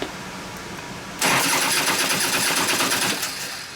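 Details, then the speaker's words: 2001 Gilroy Indian with a freshly rebuilt motor, plug wires pushed over and refitted: it catches briefly but runs with an uneven stumbling beat, acting like it wants to hit but won't; owner suspects a dead cylinder from ignition. Misfire. "it actually acts like it wants to hit, but it doesn't. >> I pushed the wires over and it started right up, but this is not how it's supposed to. >> I bet it's got a dead cylinder from ignition."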